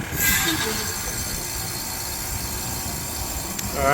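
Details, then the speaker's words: Heat pump coming out of a forced defrost with the fan plugged back in: a steady refrigerant hiss with a brief warble at the changeover. The defrost sensor reopened, defrost board and sensor work, and pressures are good; normal defrost termination. "All right, just coming out of defrost, sensor reopened. So defrost board, defrost sensor work, pressures look good."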